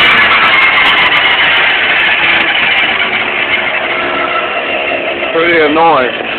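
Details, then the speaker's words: Cheap new motor on a homemade scooter, on its last warm-up, given bursts of 100% throttle with the rear brake disassembled, screams with a thin high whine over it, pitch sweeping with revs; source unclear. "This is her last warm-up period, so I'm giving her little initial burst of 100% throttle. So I'll do it one more time for y'all, so you can hear the whining."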